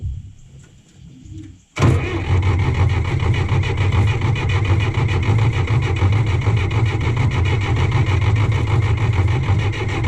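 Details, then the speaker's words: John Deere 1010 crawler dozer diesel, sat about 12 years, starting after bleeding injector lines: quiet, then catches at once and settles into steady, even low clatter; diesel starts and runs. "well there it is i mean it's fixed up and running"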